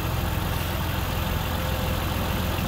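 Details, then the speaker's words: BMW 2-litre straight six, first start after sitting a few months on a swapped spare battery (old one dead): smooth, even low hum at idle, some ticking mentioned by owner; runs fine, only the battery was the issue; normal idle. "we have ignition and apart from that ticking sounds pretty sweet not bad after a few months just sat here only the battery's the issue"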